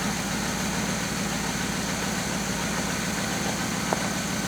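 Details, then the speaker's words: 1966 Chevy Biscayne 396 big-block V8 after a dead cylinder was revived and clean spark plugs fitted: steady, even idle with a smooth low rumble, no skips or dead beats. Normal idle. "no more deadness"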